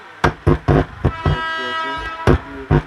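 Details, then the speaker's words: Carver active keyboard monitor speaker after repair of the tone control (hum) and a hoarse mic input, at maximum volume with mid, low and high controls set: music with punchy drums plays cleanly, no hum or hoarseness. "Untuk frekuensi mid, low, dan high-nya dan suaranya sudah terdengar, tidak"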